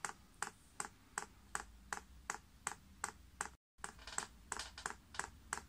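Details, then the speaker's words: Chinese diesel heater with 6-fan-blade icon controller in prime mode (hold OK, down arrow, then up arrow); crisp even ticks about two to three per second in a quiet room as the dosing pump primes normally. "you then press the up Arrow and you can hear that pump's clicking and Easy in fact now priming"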